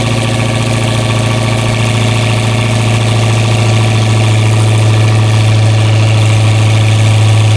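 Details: Camcat after sitting 6–8 months over winter, with new battery fitted: strong steady low drone with an even beat around three and a half per second, no misses or knocks; running smoothly.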